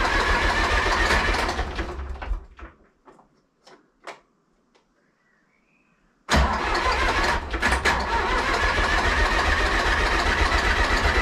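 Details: Zetor 4911 tractor diesel, stored in a dry shed since last run 3 Oct 2012 (engine renovated just before storage), with a loose core plug at the back of the head: runs rough, cuts out to near silence with clicks, then catches and settles to steady idle; first start after storage.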